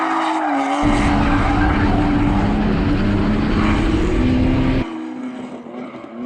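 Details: BMW E46 328Ci drift car after fitting a DIY swirl pot to fix fuel starvation, run with an almost empty tank: strong, unbroken full-throttle pull over tyre squeal with no stumble or bogging, so fuel delivery is holding up.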